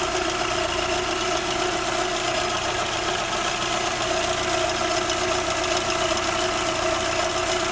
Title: Audi 80 PP Engine weird Noises...